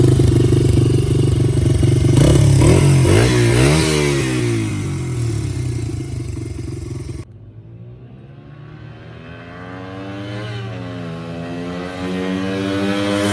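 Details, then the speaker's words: Honda XR80 dirt bike unstarted for 10 years, after carburetor cleaning and adjustment, oil change and cleaned filter: single cylinder runs crisp and even, revs rise and fall cleanly with throttle, no misfire or stumble; healthy. "but then we adjusted the carburetor and then started fine after that nice dirt bike"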